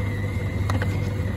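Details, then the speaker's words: Samsung DV80M50133W 8kg heat pump tumble dryer with SC error, drain pump tested while checking pump and hoses: steady low hum with faint thin whine, no rattle or gurgle; pump moving water normally. "better there must be water for it to pump that on like that it doesn't take much for it to work you can hear it pumping"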